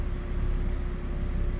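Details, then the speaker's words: Car idling, heard at exhaust muffler with paper held to it: rapid exhaust puffs rising and falling in strength, rough idle from vacuum leak. "좀 많이 바람이 나왔다가 배기가스가 많이 나왔다, 적게 나왔다 그러네요. 부르릉 부르릉 들리시죠?"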